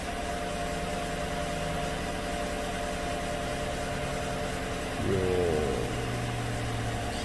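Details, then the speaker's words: 2016 GM truck 5.3 V8 at idle with fresh plugs and AFM deleted: rough, irregular stumble with skipped beats. It is still counting misfires on cylinder 6, whose exhaust lifter collapsed again after bank 2 lifter replacement; owner also suspects the injector. "well it's still counting misfires on cylinder six so I suspect the injector is poorly spraying or improperly spraying"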